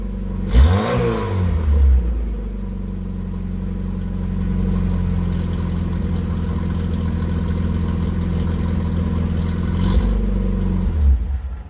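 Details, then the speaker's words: 1981 VW Rabbit with 1.8 swap, after installing 4-2-1 dual downpipe and thrush muffler to fix suspected front manifold leak; two quick blips framing a smooth deep idle, no puffing or ticking: normal, tight exhaust sound. "That went a lot better than I expected. I only hoped to close up some of the leaks, but now the exhaust sounds really, really good."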